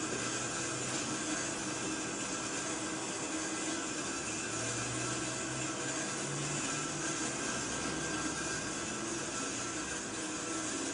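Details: Empty oxygen bottle filling from the 600 psi cascade cylinder, gauge needle moving, target rate 300–600 psi per minute: a steady, even hiss through the line with no sputter or pitch change; normal controlled oxygen fill.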